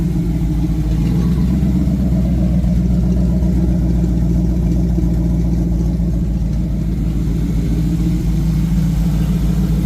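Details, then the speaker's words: 1986 Ford Mustang GT Fox Body V8, fuel injected, warming toward operating temperature with coolant temps still cool and no leaks: a deep, steady idle burble with an even beat, no knocks or ticks; normal warm-up idle. "But as it sits right now, I don't have anything leaking under it. Um, you know, temps are pretty cool. It's running good."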